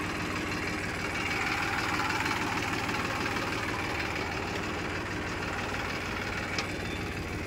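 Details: Massey Ferguson 241 DI tractor with a 2006 model, 42 hp Simpson diesel and a weak battery: a steady idle with an even clatter about three beats a second and no misses or knocks. Normal, healthy idle.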